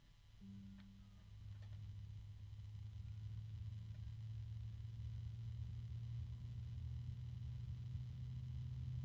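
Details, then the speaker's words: Zigmatech XAF-F1453 PC case fan, rated 18 dB: a steady low droning resonance hum under the airflow, louder than the rating claims. Fan resonance hum. "There's a harmonic resonance there. Now they claim this is only an 18 decibel fan, but I'm hearing more than 18 decibels."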